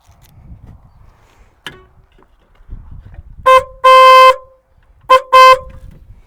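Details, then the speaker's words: Replacement horn salvaged from a Proton, bench-tested connected to a battery: two short-long pairs of clear, steady honks with a thin, somewhat weak tone; sounds lame but the horn works. "sweet sounds lame but it works"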